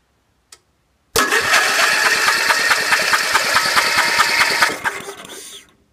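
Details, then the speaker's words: Wheel Horse B115 lawn tractor with Briggs & Stratton engine, won't start after winter storage, shroud off, ignition in RUN: starter churns about two beats a second with no firing; no spark because a faulty kill switch relay grounds the coil kill wire. "as you can see there's no spark and uh I suspected the uh an electrical problem because it seems like it's getting plenty of gas"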